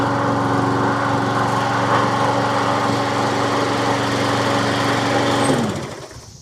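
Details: Troy-Bilt self-propelled push mower with Briggs & Stratton single-cylinder engine, after repair of no-compression fault, started on electric start: engine catches and putters steadily at an even beat for several seconds before winding down; runs cleanly.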